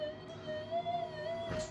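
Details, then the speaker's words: Minelab SD2000 metal detector: steady mid-pitched tone wavers and warbles with faint rough noise as interference leaks through because the two coil loops aren't equal in circumference. "the moment, but yeah, I can hear a little bit of blurb coming through."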